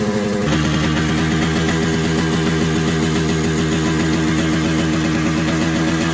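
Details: 1979 Yamaha RX 125 two-stroke cafe racer build: fast, steady buzzing idle with no dip or settle-down. It idles too high and smells of fuel. Cause suspected, not confirmed.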